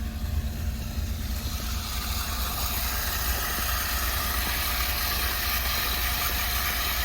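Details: Water transfer pump drawing from the bottom of a fill tank with 20-30 gallons left, into an under-house storage tank: a steady, even hum with a low drone and watery churn, not yet gone dry; normal running.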